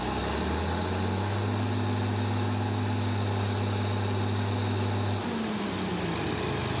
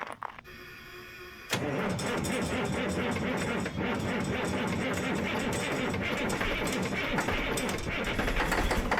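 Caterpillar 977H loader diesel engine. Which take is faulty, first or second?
second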